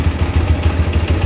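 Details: GPX Demon single at normal idle after repair: it wouldn't start and the in-tank fuel motor didn't run with key on; fault was a broken spring inside the switch/housing, replaced. Quick, even exhaust pulses thump at steady low pitch, no misses.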